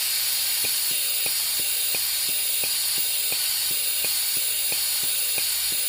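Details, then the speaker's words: 2010 Honda Pilot EVAP purge solenoid (spare used unit) bench-tested with air supplied and power pulsed: steady hiss with even clicking about 1.5 times a second, flowing consistently versus the original non-flowing solenoid, which is to be replaced; EVAP codes P145C/P0497/P0455/P0456. "As you can see, this solenoid is much more consistent compared to the original one."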